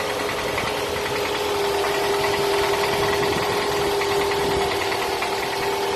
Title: Piston slap noise on Toyota Camry 2007 2.4 engine ACV40